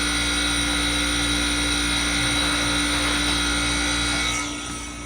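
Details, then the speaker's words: Manitowoc commercial ice machine in a cafe, vent hoods off: loud steady hum with high steady whine and fan hiss, even and unbroken; running normally. "Oh yeah, I can hear it really well with the vent herders off. Really loud."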